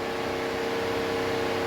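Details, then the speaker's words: 1982 Mercedes 300D (W123) diesel, key on with engine off: a steady, even fan rush with a faint hum as the auxiliary fan runs, and none of the window switches work; suspected auxiliary fan/window switch relay behind the instrument cluster. "okay so i noticed the auxiliary fan comes on and none of the window switches work"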